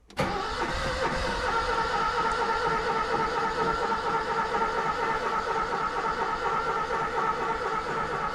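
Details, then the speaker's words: Car stored five months with no fuel-priming system: steady starter churn that never fires. The owner suspects no fuel at the carburettor or the ignition not seeing 12 volts, with the battery running down. Cause unconfirmed. "pressure now will she pump fuel through before the battery runs out oh just give her a rest"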